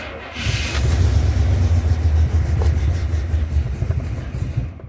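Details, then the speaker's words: 1968 Cadillac DeVille convertible V8, before repairing a loose ignition feed wire connector: deep rumble catches after cranking, runs a few seconds then fades and dies, won't hold idle. "would run and then it'll die it wouldn't maintain an idle"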